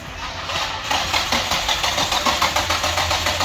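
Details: 2005 Nissan 350Z, salvage, blown motor revived after sitting 1.5 years with rat-chewed harness rewired, supercharger fitted: starter cranks at about three and a half beats a second but it never catches or fires.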